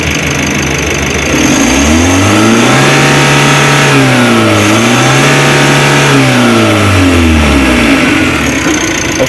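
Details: Mitsubishi L300 Euro 4 diesel at about 4,000 km, weak on climbs: full free rev, climbing, holding, dropping and climbing again twice, even and clean.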